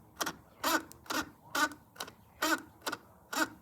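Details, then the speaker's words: 1970 Triumph tachometer, cable reconnected and drive tang turned slowly by hand: sharp fairly regular ticks about once a second; unusual tach ticking, cause unclear. "I've never heard a Tac do that before"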